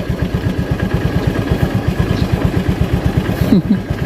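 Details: Honda Vario 110 with dead electrics, battery not charging, a shorted starter relay and a sticking starter bendix, starter jumpered: starter too weak, then kick-started, and the single cylinder idles at an even putter with no stumbling; normal idle.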